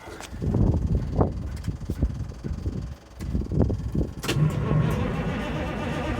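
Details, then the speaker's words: Ford L8000 crane truck with what is believed to be a Cat 3208 diesel, not run for four to five years, started on a jump pack: uneven cranking bursts, then it catches quickly and settles into a steady, even idle; starts and runs fine. "Well, that's a good sign. Oh. Oh, that was easy. Okay, I guess you will start."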